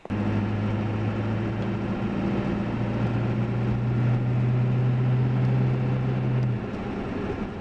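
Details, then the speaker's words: 1990s Ford F350 7.3 Powerstroke diesel on Mickey Thompson Deegan 38 315/75/16 mud tires at just under 60 mph with the window half down, in-cab. A steady low hum with wind is normal tire road hum. "window down here got the window half down doing just under 60 so that's what they sound like at that speed"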